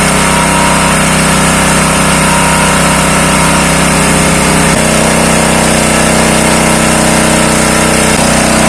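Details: Honda GX160 water pump engine, dirty and seized from long disuse, freed up and started with the pump primed with water: steady hum with a settled firing beat and a couple of small pitch shifts; normal running, suction strong.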